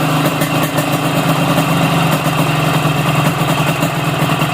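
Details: Yamaha RX King two-stroke with the carburetor air screw set half a turn out from closed: steady, even burble at a slow idle with a constant low drone, idle a touch low on the rich side; slightly low idle speed.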